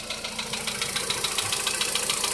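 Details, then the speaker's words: 2014 VW Polo Sedan, ticking began at about 44,000 km after two years on the same oil, engine warming up: light, sharp ticking several times a second in time with idle. Source unclear; hydraulic lifters suspected. Engine ticking at idle. "стучит вот откуда-то, или вот оттуда, или вот отсюда. Сейчас пускай прогреется."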